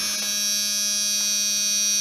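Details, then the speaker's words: 1997 Dodge Ram 1500 plow pump controller, powered through a starter-type relay: steady electric buzz at constant pitch with no motor spinning up; controller energised but pump not running, relay to be jumped next. "Yes, an annoying buzzer."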